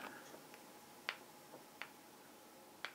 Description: This is the Canon J20ax8B4 IRS broadcast lens I purchased, but it seems to have an issue where the focus ring is loose, makes some noise as you turn it back and forth.